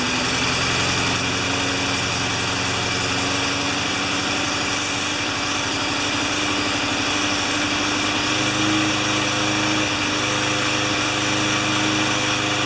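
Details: Craftsman 20-inch side-discharge mower with mulching plate, final test after repair. Its small single-cylinder engine holds a steady, even buzz for over ten seconds with no surging or misses: normal running.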